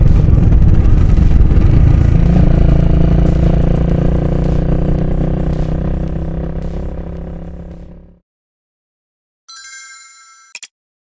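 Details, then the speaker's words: 2022 Honda Rebel 250 (MC49) single-cylinder at 20,000 km: loud rapid metallic clatter at idle that disappears with throttle and clutch pulled in and returns when released; failed cam chain tensioner, iron particles in the oil. "アイドリングでこんな大きな音になってます。アクセルを入れると消えるんですが、アクセルを戻すと音が出てます。"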